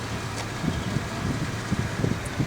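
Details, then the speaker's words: 2008 Pontiac G6 2.4, about 102,880 miles, idling right after startup following an oil change: low, even engine hum with no ticking or knocking; a normal, healthy idle. "sounds good no obnoxious ticking or anything I think she's ready to go back"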